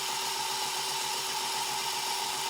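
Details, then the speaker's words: BASF LH cassette rewinding: fast hissing whir with a quick, steady rattle, noisiest when one spool nears the beginning of the side; the player is fine with other tapes. Suspected tape binding on the spool; unconfirmed. "that's pretty no pretty noisy is it so it seems to be when one SPO when it's getting to the beginning of the side"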